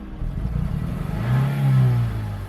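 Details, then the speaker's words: 2007 Honda Civic Hybrid, dual-spark-plug engine: the misfire was absent when the car was inspected the day before buying but is now clearly evident; a low, uneven note stumbles as it revs and settles back. The cause is unknown, and a compression test is planned. "yeah the misfire is definitely really evident"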